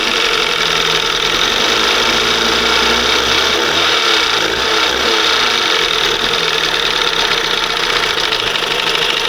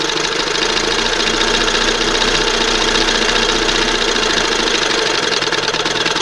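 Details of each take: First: 1971 Johnson 20 HP two-stroke outboard after removing the failed OMC primer pump and fitting a conventional carburetor: steady, even two-stroke buzz with no misses or knocks; normal running, the primer pump having been the fault. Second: 1971 Johnson 20 HP outboard on a replacement old-style carburetor after the OMC primer pump failed: fast, busy, even buzz with light rapid clatter that never settles to slow idle; idle stuck high.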